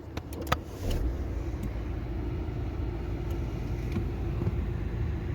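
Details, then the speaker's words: Skoda Superb II after replacing the start-stop engine button, clutch pressed in neutral: a few clicks, then the engine catches and settles into a smooth, even low idle with no knocks; the new button works. "maszynka cyka nie pozostało nam teraz sprawne wdrożenie całości No ale zaczynamy oczywiście od czego od ukąszenia silnika tymże samym przyciskiem działa jak narazie idealnie"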